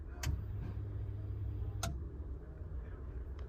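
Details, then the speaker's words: 2007 Buick Lucerne, engine off, fuel pump commanded on and off with a scan tool, pump behind the back seat: sharp relay clicks over a low steady hum. The fuel pump runs normally. "that's the fuel pump turning on and off"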